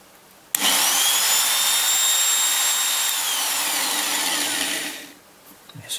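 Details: Biax scraper (Swiss-made) running after rebuild: sharp start into steady high buzzing drone held four seconds, then stopping; stroke travel correct, runs smoothly.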